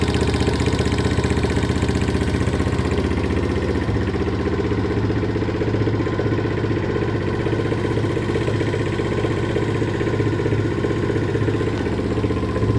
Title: Стук клапанов